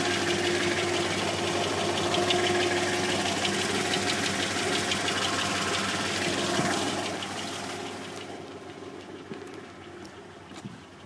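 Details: 1991 Subaru XT6 flat-six at idle: a regular knock of roughly three per second that fades as revs drop. Owner suspects rod knock. Unconfirmed.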